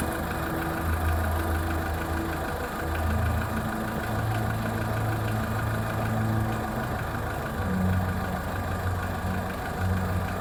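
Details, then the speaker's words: Skoda Fabia 1.4 petrol at cold idle: faint dull rapid tapping from low in the block near the timing belt side, heard from a distance; dealer claims piston slap and normal, cold hydraulic lifters also slightly audible; cause uncertain. "Официалы говорят, что это перекладывается поршень, и это все в порядке вещей. Если открыть капот, он идет где-то вот где ремни ГРМ, но там снизу откуда-то."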